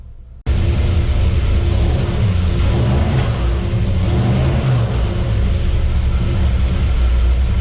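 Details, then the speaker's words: 528 Hemi V8 with an aggressive cam on the dyno, warming up with water pump off, timing advanced (about 14.5 in vacuum at 950–1000 rpm idle): deep steady rumble with quick, clean, snappy revs and no knocks or misses; healthy. "She's real snappy. Real snappy. It is. Sounds good so"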